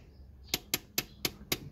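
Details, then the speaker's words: 2004 Honda Accord Euro R (K20A) handbrake after cable adjustment: five crisp ratchet clicks about a quarter second apart, then the lever becomes hard to pull. Travel is correctly set. "got about five clicks and it gets quite difficult here so that's what we want"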